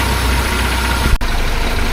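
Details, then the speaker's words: 1976 BMW 2002 (E10), re-jetted Weber carburetor, warming up: engine knocked off high idle drops to a steady, smooth, even idle around 1000 rpm, idle air mixture still to be adjusted; normal warm-up idle. "Yeah, there I knocked it off the high idle and it's down to about well, what's that? Somewhere around 1,000 or,00 RPM. It likely could come down a bit more."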